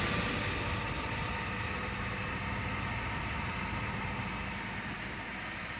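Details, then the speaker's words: 2013 Subaru Impreza Limited wagon FB20 petrol engine just after an oil change with Euro oil, oil light out after priming crank: soft, even idle under hiss, no knocks or ticks; engine sounds healthy, normal idle. "Now. Oh. She sounds so good."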